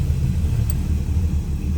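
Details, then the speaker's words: 1962 Dodge Lancer with an aluminum 225 slant six, idling after the earlier screeching (water pump, alternator or belt suspected) was addressed: steady low rumble with no screech or squeal. Normal idle. "yay no more horrible noise"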